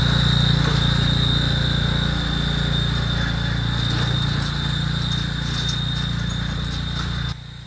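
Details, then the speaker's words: Tractor hydrostatic transaxle, treated with Lucas additive to quiet it; steady high thin whine over the low engine drone; transaxle failing and on its way out. "That dear friends, that is what a hydro sounds like after somebody decided to put Lucas in the transmission in order to make it sound quieter one last time. It's on its way out."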